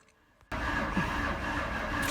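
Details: Ford Mustang V8 crank-no-start, cranked 6–8 seconds on a weak battery: slow, labouring starter crank with an uneven, lopsided beat and no firing; half the cylinders low on compression because cam timing is way off.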